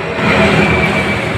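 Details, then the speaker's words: Suzuki Spin scooter after the carburetor was refitted: a smooth, steady idle with no hunting, surging or delayed return. Idle now normal. "di sini untuk langsamnya sudah normal ya. Tidak ada telat lagi ya."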